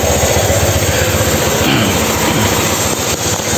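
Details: 2016 Honda Scoopy eSP ISS fuel-injected scooter, repaired after blown-ECU no-start, warm and stable: steady idle pulsing about four times a second, no misses, knocks or hunting; normal healthy idle.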